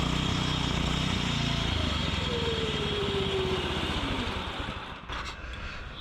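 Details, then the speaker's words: Fiero go-kart small single-cylinder engine: crisp revving with a deep, even exhaust note dropping away smoothly; engine and muffler sound healthy, running normally. "holy crap does that sound good sounds like progress sounds like a lot of progress being made"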